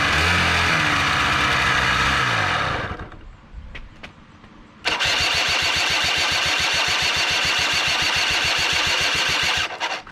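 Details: Honda Spree two-stroke scooter ("Frankenspree", probably 1984 engine, 1987 frame) after starter and bendix gear swap fixed hard cranking: fires and runs briefly, dies, restarts, cuts off; won't hold idle, carb not getting fuel suspected; stalls at idle.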